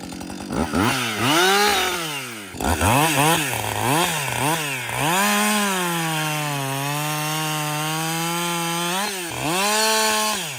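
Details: Husqvarna 562XP 60cc chainsaw, after dealer software update (leak-down test showed no air leaks), bucking dead windfall about two-thirds of a tank in: quick throttle blips, then a strong, even high-rev pull through the cut; running healthy.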